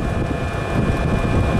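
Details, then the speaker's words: Diesel heater after oven-cleaner cleaning, leaned out by lowering maximum fueling: steady, even low roar with no surging or popping, burning cleanly, sounds right. Normal diesel heater burn. "well I leaned it out a bit but took the maximum fueling down from whatever it was down sounds right now Perfect all that good enough"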